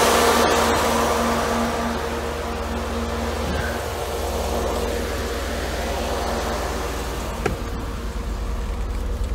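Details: Mercedes W124 with the engine running, after a climate control unit fault that had let the engine overheat was traced. The electric cooling fans give a steady, even whoosh, quieter than high speed. Normal low-speed fan operation.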